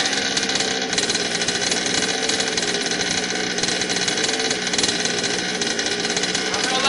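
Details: HPI Baja 5T RC car, a Craigslist buy, on first start after a carb rebuild and new fuel lines, pinion gear not yet fitted. A fast, buzzy two-stroke drone holds high and never settles. Idle speed is set too high and the carburetor idle needs turning down.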